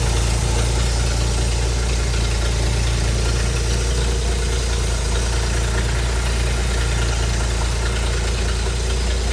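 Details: Ford inline six (possibly a 265) in a Hobart APU cart, sat 8+ years, running after a new battery and fuel line hookup; deep steady rumble, even beat, no knocks or misses.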